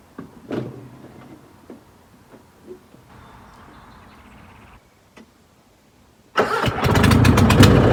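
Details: Gravely Pro Master 60 mower after oil change, oil slightly overfilled: quiet clicks and a short whirr, then catches at once into loud steady run; normal start.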